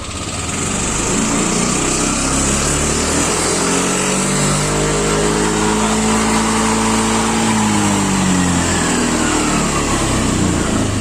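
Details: Yamaha Lexi scooter (VVA engine) revving from idle: coarse rattly noise at low rpm that disappears at high rpm once VVA switches to the other rocker arm, into smooth rising drone; worn left rocker arm roller.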